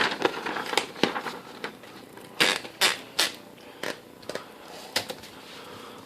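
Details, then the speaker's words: Restored 1957 Olympia SM3 typewriter, serial 1064747, typing on the blue ribbon setting; crisp, irregular key strikes and clean clacks with no sticking or dragging, typing action fast and healthy. "So on the blue setting, the quick round box jumps over the lazy dog. Hear how fast that thing goes now?"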